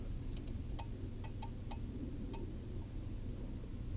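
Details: Ford Crown Victoria: faint turn-signal flasher ticks come unevenly over a low cabin hum, cutting in and out; owner blames a faulty blinker fuse slot in the fuse panel, cause not confirmed.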